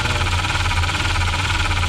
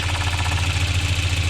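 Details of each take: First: 1993 Volvo 940 B230F after timing belt, tensioner and water pump reseal with new plastic covers on a damaged rear cover: constant raspy scraping over idle tracking engine speed, timing belt rubbing the tweaked cover; pushing cover in silences it. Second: 1993 Volvo 940 B230F after timing belt, tensioner, water pump seals and new timing covers: smooth, even idle, steady low rumble; belt rubbing on tweaked cover gone once cover pulled in, normal idle.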